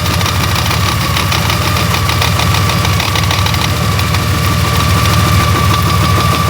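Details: Honda Gold Wing GL1800 engine at idle; uneven fast knocking about three per second over a low rumble, worsening over time with occasional vibration felt through the handlebars; internal knocking, cause not yet found.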